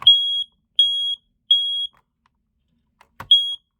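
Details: Loud high-pitched beeps, three in a row, a pause, then another. A Kita i4618AC ionization smoke alarm with an Energizer backup battery, sounding normally on its test button.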